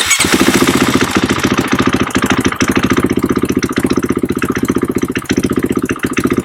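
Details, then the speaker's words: KTM/Husqvarna bike that lost power, fuel pressure gauge fitted: runs but ragged with repeated dips and stumbles; pump can't build or hold pressure, rising with rpm doesn't help, big in-tank leak with bubbles seen at filler; low fuel pressure. "as soon as you turn it on you know it can't hold any pressure can't build any pressure funny thing is they still start on this low pressure"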